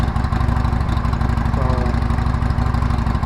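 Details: 2012 Harley-Davidson Sportster revival, running after mounting the tank and seat and adding gas: a loping V-twin idle with a steady, even beat of about three pulses a second and no knocks or misses, a healthy idle.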